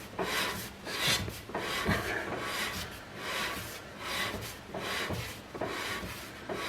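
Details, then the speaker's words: Porsche 986 Boxster rear brake with caliper off and fairly new disc, after fitting new handbrake shoes: a rhythmic scraping rub once per turn as the disc is spun by hand. Adjuster a tiny bit too tight, shoes just kissing the inside of the drum. "a tiny bit too tight so it's this one to be honest left I swear I can either just kissing the inside of the drum"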